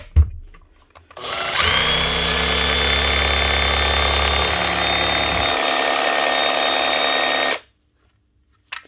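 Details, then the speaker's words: Old, inexpensive power tool motor on test after repair: spins up quickly to a smooth, steady high whir, no rumbling from the bearings; motor runs normally. "she runs and she sounds okay in the motor doesn't sound like there no rumbling sound from the bear ends we'll leave it at that"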